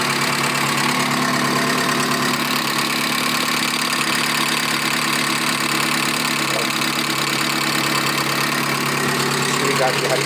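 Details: 1997 VW Gol AT 1.0 8-valve engine idling with a quick, light ticking a few times a second that keeps time with the engine. Owner calls it the familiar lifter noise.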